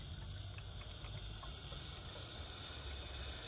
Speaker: for this step all you're doing is adding cleanliness and if you come over here closer you can hear the air coming out